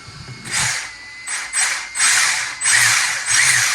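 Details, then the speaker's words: 1/10 RC Holden VE SS Ute after replacing the brushless motor and ESC: bursts of sharp ratcheting, about one and a half a second, as the cooling fan spins up, because wiring is catching the fan blades. "So, oh, it's hitting the fan. That's why it's making that noise."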